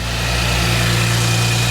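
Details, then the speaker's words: 5th-gen Chevy Camaro just after serpentine belt replacement: steady, smooth idle hum with no belt squeal or chirp; alternator and power steering turning fine. Normal idle. "sounds like it's working. Everything in there is super smooth."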